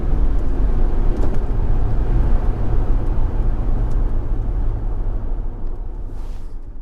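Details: 2004 Jaguar XKR V8 with upgraded exhaust (4 of 5 silencers removed): deep booming drone from 1400 to 1600 rpm at cruising revs under light load, fading as revs drop; bumper shake suspected of reverberating.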